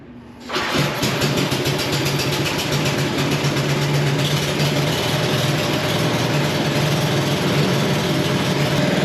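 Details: Snow blower after drive belt replacement with auger not spinning before, shroud off for test: catches at once and settles into a steady, even chug with no belt slipping squeal or knock; running healthy.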